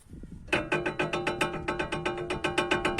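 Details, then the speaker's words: Renault Logan, under-car knock mistaken for muffler: hollow even clunks about four a second from a cracked tube at the rear beam; temporarily silenced with old socks pending welding. "а как будто глухой звук как будто глушитель гремит и все-все переделал живо все поменял оказывать трубка лопнула короче вот"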